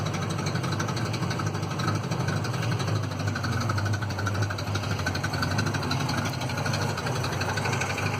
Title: Citroen Visa 11 RE with an exhaust leak